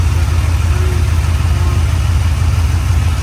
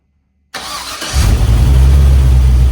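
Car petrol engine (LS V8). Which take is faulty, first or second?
first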